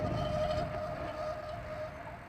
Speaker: I don't know if you could hear that, but that's this front rotor right here. I'm pretty sure I glazed the pads going down a hill one day, and I need to sandpaper them so they stop squeaking.